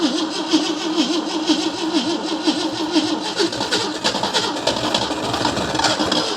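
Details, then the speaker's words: 1971 AMC Gremlin sitting since about 1984–85, revival attempt after swapping batteries and trying closed choke: starter churns at a steady beat about once a second, engine never fires; cranks without starting, crankcase vapor seen, battery running down. "I'm gonna burn the starter up. Got some crankcase vapor coming out over there."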